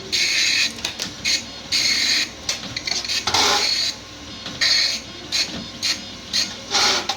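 Rapid buzzy bursts of print-head chatter with short pauses between lines for paper feed, even and steady; the printer is printing normally.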